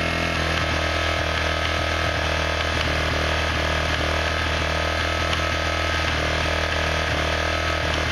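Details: Quad ATV engine revved: loose, irregular clicking over the engine buzz that persists with the clutch lever pulled in; an engine-side click, source unknown.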